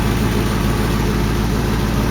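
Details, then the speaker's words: 1968 AMC AMX 401 V8 after replacing a lifter worn to its oil hole that had caused a miss on #2. Steady, even idle near 1200 rpm with no lifter clatter, running on all eight cylinders; timing is still off and the carburetor is bad. "fires right up so as far as that bad lifter is concerned [Applause] that's a fix of course the timing's still off and that carburetor is bad but at least it's running and uh not clattering and running on all eight cylinders"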